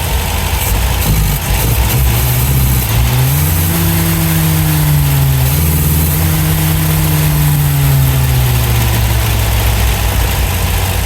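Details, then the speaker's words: 1971 MGB GT, after cleaning the carbs: catches, climbs through uneven revs, then a wavering, hunting idle. Better than before but rough; idle tweaked and plugs to be cleaned; cause not confirmed. "Maybe reaching up a little bit, a couple of turns. Certainly a lot better than it was."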